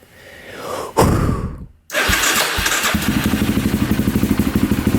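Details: Polaris Predator 500 single-cylinder quad with a borrowed battery from a 400EX swapped in: short crank, catches at once and settles into a steady, even idle putt with no misses or knocks; healthy start.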